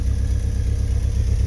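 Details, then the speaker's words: Old Willys with an F-head engine, first run and idling through its muffler: a low, soft, even putter with a steady beat and no knocks. Normal, healthy idle, quiet, runs fairly well. "got a muffler there it's so quiet okay we're in the cockpit of our wheelies doesn't run too bad"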